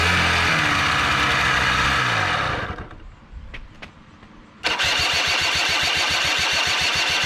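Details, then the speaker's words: Small engine machine, sat since at least last fall, on ethanol-free gas, after swapping starter and Bendix gears that weren't meshing: turns over and fires a couple of seconds, stops, cranks again; carb not getting fuel. "well fix the starting problem now we just got a carb not getting fuel problem so go ahead and work on that next"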